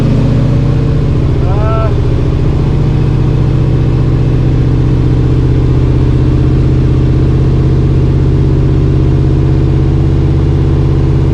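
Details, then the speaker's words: 1986 Chevy C10 with a swapped-in used TR6060 6-speed from a 6th-gen Camaro, spinning in fourth gear on stands: constant low drone and rumble. Slightly better than second, but driveline vibration persists; unsure if the cause is inside the transmission. "it's slightly better so there's still something wrong with the driveline and i don't know whether it's inside the transmission or what the deal is"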